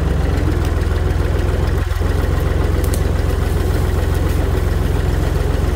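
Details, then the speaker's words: Tractor running after its rotted-off muffler was replaced with a new one with a welded hanger for support; deep, steady idle thump with even beat, no blowing, rattling or knocking; exhaust sealed, much quieter than straight-piped. "tell the tractor's a lot quieter."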